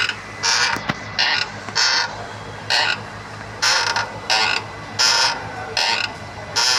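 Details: Renault Kwid clutch: sharp dry creaks about once a second in uneven bursts with nothing deep underneath; clutch mechanism creaking, wear or release bearing suspected, unconfirmed.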